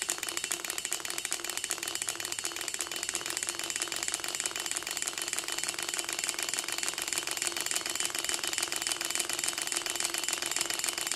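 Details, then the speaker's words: Six-cylinder Gatling Blaster Stirling engine after broken liner replacement, all six displacers checked, first test run: fast, even mechanical ticking at a constant pace with no knocks or hesitation; normal running. "feel it up and give it a test run see it move a little bit on its own that's a good sign"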